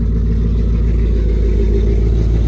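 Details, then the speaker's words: Warm Ford F-150 V8 with aftermarket cam holds a steady, even idle near 1,000 rpm with no cam chop; rpm drops with AC on and revs back up with AC off; owner blames a bad tune. "Turn the AC on. Yeah. No chop, nothing. Bad tune all the way."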